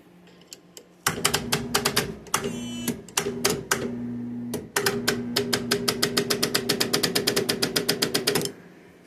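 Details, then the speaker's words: Massey Ferguson 65 tractor, bad battery left on charger: start attempt gives rapid sharp clicking about four per second, engine never turns over; starter chattering on flat battery, no crank, battery judged bad and to be replaced. "I've gave it a bunch bunch of chances left on the battery charger and it still won't do anything. That's how you know it's a bad battery obviously."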